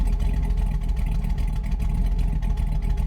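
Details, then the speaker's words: LS V8 truck after cam swap, tuned with HP Tuners: in gear with idle target 600 rpm it chugs slow and lumpy, barely running; idle speed set too low. "so it's calling for 600 I see steps are still in that and that sounds too slow play it's barely barely running at that"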